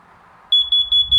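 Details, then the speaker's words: Plug-in 120 V carbon monoxide detector with 9 V battery backup, sounding via its test button: four sharp high-pitched beeps, then a pause, repeating. This is the carbon monoxide alarm pattern. "one two three four beeps pause one two three four beep pause and that will continue as long as there's carbon monoxide in your house"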